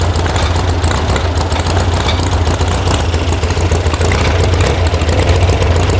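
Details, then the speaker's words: VW sand rail air-cooled engine after electronic ignition install and firing order correction: loping, uneven low idle with a lumpy bobble; carb mixture screws backed way out, needing tuning. "But it definitely has a bobble to it. I don't like this."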